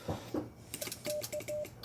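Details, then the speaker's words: Xiegu GPA100 HF amplifier band relays clicking erratically while handling the radio in auto band mode, with brief SWR blips on an IC-705; cause suspected, not confirmed. "Just handling the radio, it's clicking. Can you hear all the clicks?"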